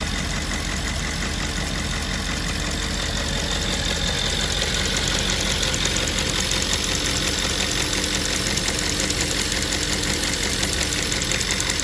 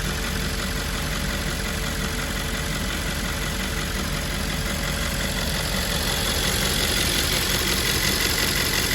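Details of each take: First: Audi S5 4.2 V8 2010 at idle, before the valve is replaced: light, fairly even ticking about twice a second over a smooth V8 idle, from a faulty fuel purge valve. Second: 2010 Audi S5 4.2 V8 idling after fuel purge valve replacement: even, steady idle with smooth hum and no ticking or knocking; engine sounds healthy.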